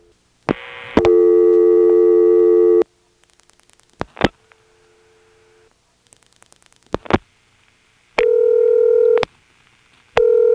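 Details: March 1977 step-by-step exchange, Washington NC (Carolina Telephone): an odd two-digit code gives switching clicks, then a steady buzzy double ring in long repeating bursts, never answered.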